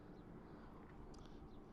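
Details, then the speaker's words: Pit Boss Vertical 4 Pro Series pellet smoker, first burn-off, startup set to 200 with door and rain cap open: steady low roar with soft rushing hiss, no sputter; fire lit, normal pellet burn. "until you hear the fire. You can hear the fire very clearly. And once you can hear the fire, you can close the door. There's a big difference between no fire and fire, so you can hear it really clearly."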